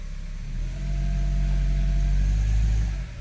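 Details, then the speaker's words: 2002 Honda CR-V AWD automatic after replacing transmission mount and front mount: low, even engine drone swelling slightly with light throttle in gear, no grumbling, no jolt into gear; normal under load, fixed. "that's that's a good sign i don't hear any grumbling put it in drive seems fairly quiet to me boys and girls and you can hear it's not jolting into gear anymore so i think it's safe to say that this thing is fixed now"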